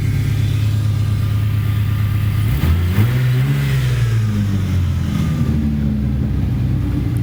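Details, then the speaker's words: V6 Mustang, 146,402 miles, budget build with aftermarket exhaust, not run in months: deep steady rumble rising and settling through a quick throttle blip, clean and even, no rattles; nice tone, not loud but not quiet, healthy exhaust. "I'm not sure how well you can hear that, but it's got a very nice tone. It's not loud, but it's not quiet."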